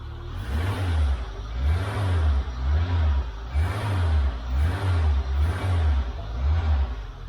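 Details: Peugeot 106 S1 Rallye, owner-noted smoke from the exhaust that isn't just condensation, engine rebuild planned: several quick throttle blips rise and fall cleanly in a deep exhaust note with no knock or rattle.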